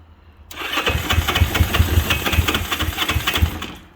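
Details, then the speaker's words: 1963 Honda CB77 305 Super Hawk; uneven popping bursts about three to four a second for three seconds as it sputters and nearly catches on a start attempt. It later runs on one cylinder, with a suspected nest in the exhaust pipe. "come on baby oh almost"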